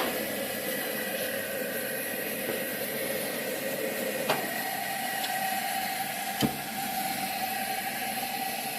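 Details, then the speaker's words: Circa-1925 Coleman No. 2 camp stove relit with a hot generator, both burners burning: a steady, soft, airy roar with a couple of small clicks. Sounding like air rather than gas means it is hot enough. Normal. "If you hear gas rather than air, then you know it's not hot enough. So if it sounds like gas, you got to go ahead and go through the steps again."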